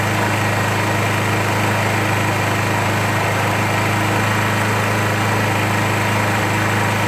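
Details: 2001 Suzuki GZ250 single at steady low idle with raspy ticking puff: exhaust leak not cured by a new gasket; engine also running lean, plucking as choke is backed off, front pipes turning blue.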